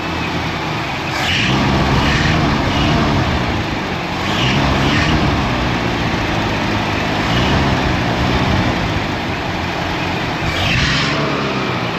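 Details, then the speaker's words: 1974 Ford Ranchero 500, carbureted 351 Cleveland, cold: rough uneven running swelling every couple of seconds as throttle is held to keep it alive, driven two-footed with brake and gas; choke not working right, smoking. "It's a classic, bub. You can't let off the car at all. Did she? Got her neutral? Yeah. Still cold."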